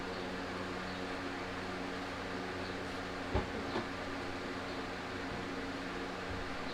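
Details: Infiniti G37 sedan after aluminum crank/alternator pulley, radiator hose and cap install; steady low hum, smooth even idle with faint fan whoosh, no knocks or squeals, fans running, no leaks; healthy.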